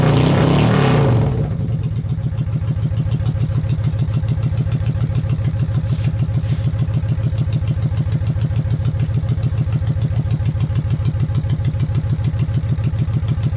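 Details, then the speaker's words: 1995 Honda VLX 600 V-twin after carb cleaning: an even, deep idle with a steady loping pulse about three beats a second and no knocks. Normal idle, though charging reads 12.22 V running versus roughly 13–14 V expected. "alright so the bike is idling which is pretty damn cool at this moment"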